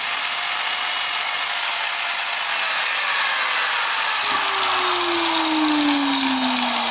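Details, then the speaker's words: Milwaukee AGV 15-125 XC angle grinder after replacing controller unit and carbon brushes: steady high-pitched motor whine with hissy edge, pitch slowly dropping; now works normally, though owner dislikes the sparking and runs it longer to check the armature. "Okay, now it works. I don't really like the sparking of it, but it needs to run a little bit longer to see how is the armature."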